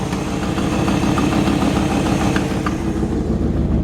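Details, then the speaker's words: 1955 Ford F-100 original old V8, hood open, idling: steady, really good running engine with a faint quick ticking puff on each firing pulse from an exhaust leak at one exhaust manifold, possibly broken bolt and missing clamp. "e bit of an exhaust leak out of one of the exhaust manifolds you pop the hood and let you hear the engine"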